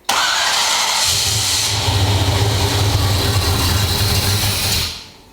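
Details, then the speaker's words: 8.3 engine on its first fire: it cranks, catches and runs roughly for about four seconds, then fades out and dies on its own, cause unknown; starts then stalls. "no no i didn't turn it off it just died"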